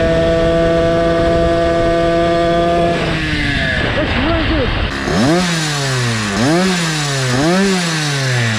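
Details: Motorized bicycle two-stroke engine with a cheap chainsaw pumper carb after pulse-port setup and tuning, engine near 300 °F: steady buzzing tone, clean rev blips rising and falling without stumbling; running well.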